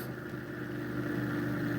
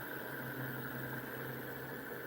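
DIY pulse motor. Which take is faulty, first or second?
first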